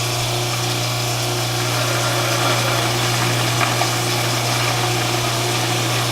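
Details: Newly installed InSinkErator Evolution Select Plus garbage disposal, replacing a cracked, leaking unit, runs with water on: a steady motor hum with water rushing through, no grinding or rattling, a bit quieter than the old unit and no leaks; normal operation.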